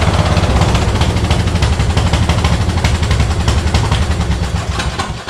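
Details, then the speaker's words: Yard Machine mower, sat outdoors for two years, before its second carburetor cleaning: engine runs but stumbles with uneven, ragged low pulses and no steady beat, sputtering and not firing cleanly. Cause not yet confirmed, more diagnostics planned. "oh she runs she's still spitting a sputtering song so i'm gonna do some more diagnostics diagnostics and we'll come back see what happens"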